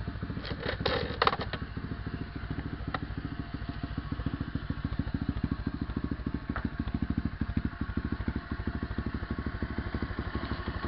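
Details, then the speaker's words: SSR 125 pit bike with aftermarket Mikuni 26mm carb, intake and air filter, first start with a new CDI box, idle screw unchanged: steady single-cylinder putter at a brisk, even, raised idle, firing cleanly with no misses; more power. "I could already hear that the idle speed went up, and I'm happy that it"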